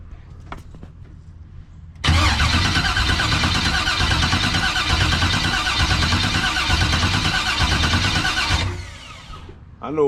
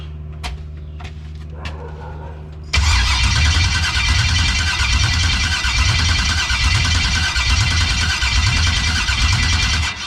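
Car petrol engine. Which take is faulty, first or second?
second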